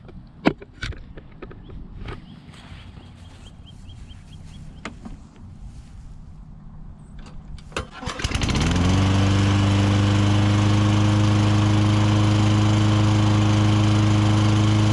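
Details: Toro Recycler 22-inch mower with a 6.5hp Tecumseh engine, sat a couple of years, started after a carburetor replacement: a few quiet clicks, then it catches at once and settles into a steady, smooth idle; running healthy.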